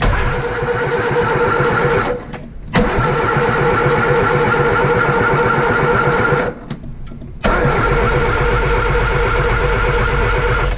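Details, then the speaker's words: 1955 Morris Minor, freshly installed engine: two long bursts of steady cranking about three turns a second, no firing; ignition wired wrong, fixed by setting cylinder 1 at TDC and matching rotor arm. "Ignition, I got that completely wrong, but again, went back to basics, set cylinder 1 top dead center with a screwdriver, took the dizzy cap off, saw where cylinder 1 was in terms of the rotor arm"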